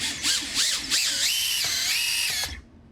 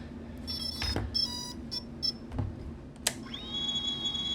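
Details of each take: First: Tiny whoop motor, after the all-in-one board was scrubbed clean and the motor resoldered: a high, thin whine swoops up and down with throttle blips, then holds and cuts off cleanly. The motor now spins properly; the fault was likely a solder blob bridging near the FETs. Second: Tiny whoop AIO flight controller after a bad re-flash, with two motors/ESCs faulty: repeated short high beeps, then a long steady two-tone beep as the ESCs keep resetting instead of arming. The front motor barely twitches; the cause (motor, ESC or soldering) is unconfirmed.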